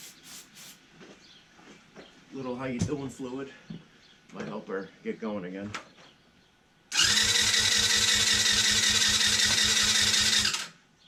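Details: TaoTao 110cc with spark confirmed, cranking with a jumper: steady fast chatter, about 2.5 beats per second, but never catches; compression measured at only about 70 psi, low compression.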